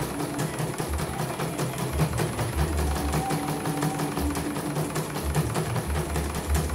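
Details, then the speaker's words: CNY embroidery machine from Mojokerto, arrived totally jammed with heavy rotation after prior service, tested on small frame after repair and calibration; rhythmic stitching thump with light ticking, no binding, grinding or hesitation: running normally. "Oke, langsung lancar, nggak ada kendala. Ini pelan caranya. Oke, normal ya."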